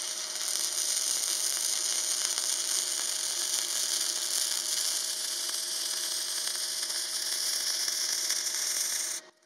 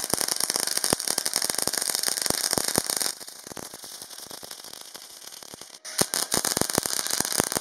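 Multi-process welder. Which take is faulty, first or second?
first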